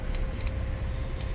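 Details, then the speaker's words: Brother DCP-L2541DW laser printer with faulty duplex tray gears removed: only a low even hum with a few faint ticks, no gear chatter; running smoothly. "ये देखिए गियर की बिल्कुल आवाज़ नहीं आ रही। अब स्मूथ चल रहा है हमारा प्रिंटर।"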